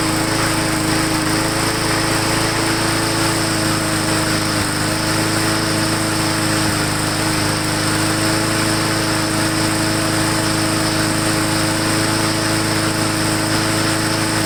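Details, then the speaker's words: Lawn mower after bending throttle linkage back, air cleaner refitted, Seafoam in fuel: steady even buzz, constant pitch, no hunting or misses, earlier slight surge improving; normal running. "Okay, so I had a very slight surge when we first started it, but it seems to be getting better and better."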